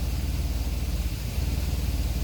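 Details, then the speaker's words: GM 3.6 replacement engine just after cold start, temperature climbing suspiciously fast: smooth low drone with slight lift and sag in speed as the raised cold idle settles toward normal; high idle after cold start. "but get a load of that RPM. Temperature's climbing. That's kind of too quick for temperature to climb that fast. It's cold start."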